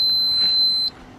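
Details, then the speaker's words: Giandel 1200 W inverter in a Rav4 Prime, charging a motorcycle battery around 900 W; one shrill beep under a second signalling overload; owner thinks inverter is broken. "Okay, it's saying overload."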